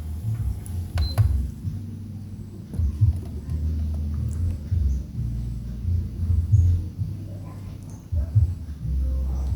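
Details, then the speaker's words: Miyako electric fan that was totally dead, after repair: low, steady motor hum with light handling knocks, fan spins up and runs evenly; normal running. "Nah, ini dia untuk putarannya ya, sudah normal."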